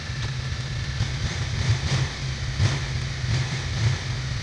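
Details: Suzuki DL250 motorcycle at about 35,000 km, running after new front sprocket fitted and chain aligned and adjusted: steady low engine rumble, even, no chain rattle or slapping; earlier chain noise now gone, drive sounds healthy.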